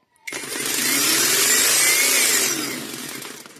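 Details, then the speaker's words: Small 40 V Taiheui motor on a 40 V AliExpress control board with an on/off switch, fed by two batteries in series: whirs up to a high, steady hum, then after about two seconds loses drive and winds down to silence. Cause not understood. "Là, le moteur s'arrête. Comme vous pouvez constater. Et c'est ça qui m'avait posé problème parce que je ne comprenais pas pourquoi."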